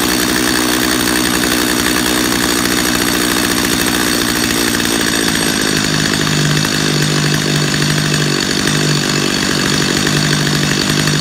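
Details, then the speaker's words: Chainsaw carburetor tuned by ear at idle with bar and chain on: loud steady two-stroke buzz rising in pitch as low-speed screw is turned, then holding; idle screw backed down until chain stops moving; recorded close-up. "go back to your idle screw turn on your idle screw back down until that chain just stops moving now I'm going to switch to a close-up so you can hear me do that so you can actually hear what that sounds like when I do it close-up right now"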